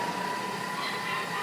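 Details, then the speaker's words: Food processor grinding peanuts to smooth peanut butter for two minutes at speed five, quieter than before; a steady, even motor whir with a mid-pitched hum and no surging or rattling. Normal grinding. "it's gonna just grind it to a nice smooth peanut butter for two minutes at speed five it's not quite as loud this time"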